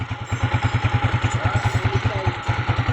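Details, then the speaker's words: TMX 155 motorcycle after repair of cat-like noise and whine in 1st, 3rd and 4th gear, test run; even low thumping at steady rhythm, no whine; normal running, noise gone. "Tapos sobrang saya ng may-ari, wala nang ingay yung kanyang TMX."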